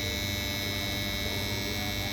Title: Strange noises from capacitor cabinets | Hiện tượng này là gì?